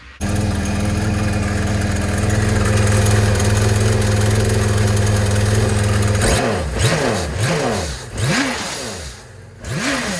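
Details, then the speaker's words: Yamaha FX SHO personal watercraft, first start after installing a new intercooler, seat off: smooth steady idle, then crisp even blips with no misses or knocks; runs well. "That sounds nice. Whew. It's hot out here."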